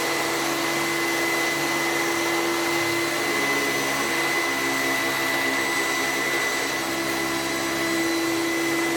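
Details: Sebo commercial upright vacuum switched on to check it still runs: steady, even motor whine with a constant high tone, no rattles or surging. It runs normally.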